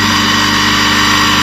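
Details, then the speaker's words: Havells 0.5 HP Tullu water pump motor that hummed loudly and drew heavy load without running, after replacing an internally shorted capacitor: even, constant hum at steady pitch, no labouring or stalling; motor running smoothly at full speed. "मोटो हमारी perfect चल रही"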